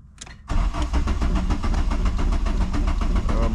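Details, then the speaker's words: VW Mk2 Jetta sitting about five months, battery possibly weak: starter churns steadily at about three and a half beats per second, never fires; suspected fuel pressure not yet built up, unconfirmed. "it's cranking sounds fine probably got to build up pressure has been sitting for I think it's been how long it's been here like five months"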